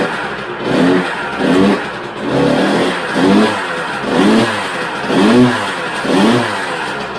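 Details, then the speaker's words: 2000 Honda CR125R two-stroke motocross bike, first start: rough throttle blips about once a second with a loose metallic rattle under each rev. It then died, kicked hard with heavy drag, pointing to connecting rod and crank bearing rattle. "yeah there's a heck of a rattle there we're definitely gonna have to dig into it and find out what that is"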